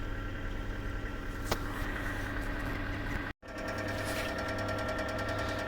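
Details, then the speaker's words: 2004 Kia Rio, 223,000 km, petrol idling: light, fast, even clicking over the hum, occurs cold and warm, vanishes for a while after revving above 3,500 rpm; suspected hydraulic lifter tick, before Suprotec additive treatment. "вот эти щелчки когда обороты поднимешь на холостую даже больше трех с половиной тысяч оборотов видимо прожимает давлением масла и пропадает на какое-то время"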